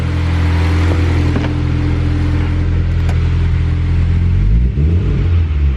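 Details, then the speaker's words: Honda Civic with eBay turbo kit and eBay distributor, just after new injectors were fitted: a low steady idle, but on throttle blips the pitch wavers and sags and it wants to die, with a check engine light. The owner suspects a TPS code, possibly the distributor. "I wonder if it has a TPS code because when I give it throttle it wants to die and it gives me a check engine light"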